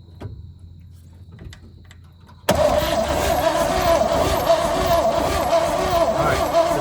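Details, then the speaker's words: 1966 Chevrolet truck not run since 1996, old plugs still fitted: starter grinds steadily with a whirring tone but the engine never fires; cranking with no spark, owner plans new plugs and wires. "can see, maybe you can see, it ain't getting no spark."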